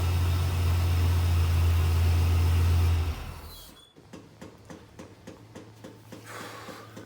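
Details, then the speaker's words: 1992 GMC C2500 with 4L80E transmission, idling, heard inside the cab: steady rapid clicking about four a second from a failing blend door actuator. "shoot folks can you hear that blend door clicking blend door actuator"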